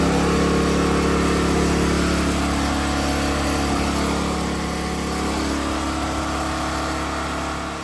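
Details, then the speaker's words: Engine after fitting a thicker, very tight spring: strong, even note holding steady with slight drop near the end, no knocks or misses; running well, almost too strong per owner. "It kind of sounds like it's running better than good. That sounds like it's It almost sounds like it's running too strong."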